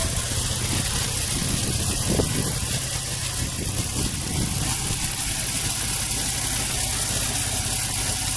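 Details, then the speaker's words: 2003 Nissan 350Z V6 at idle with P0300 random and cylinder 1 misfire: uneven stumbling low pulse; test pipe found leaking badly before the O2 sensor, causing lean running; plugs, coils and both cam sensors previously replaced. "okay guys I've been having a misfire p300 showing up this can be very frustrating especially the Z owners beautiful car just have a hard time with it"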